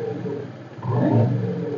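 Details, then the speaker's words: Honda Vario 125 scooter revved while holding the brake: rough krotok knocking rattle from the CVT block, caused by an incorrect replacement part; worse under load while riding, smooth when stopped idling. "Jadi pas jalannya itu dia bunyi krotok krotok krotok seperti itu kan seperti ini ya ciri-ciri suaranya kita hidupkan mesin nah ketika di gas sambil kita tekan rem itu dia bunyi kretek kretek krotok seperti itu"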